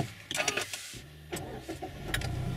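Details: Mazda that wouldn't start, total silence, after immobilizer/Omega alarm blocked ignition: after unlocking again and the Omega light turning green, a few clicks, short crank, engine catches and settles into a low, quiet idle; starts normally.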